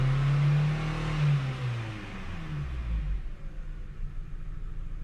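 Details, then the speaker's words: Ford Focus that had a crank no-start, after new spark plugs, oil and filter fitted: engine revs rise and fall with an uneven, lumpy pulse and heavy vibration, check light flashing, scan shows P0300 multiple misfire; faulty new spark plugs. "can feel like a misfire right [Music] right so you see the check light flashing right and when i scan the car tell me p 0 300 um multiple misfire right"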